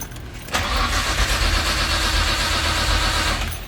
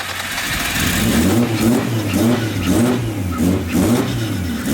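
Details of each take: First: Big-turbo Nissan R33 Skyline 4-door: steady even cranking about three seconds without catching, battery dropping to 9 volts, MAP sensor reading wrong; spark and fuel confirmed, cause found to be a corrupted ECU map file. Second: Big-turbo Nissan R33 with straight pipes, first start, heard from up front after fixing sensor readings: repeated revs rising and falling smoothly, no knocks or misses, surprisingly quiet; healthy.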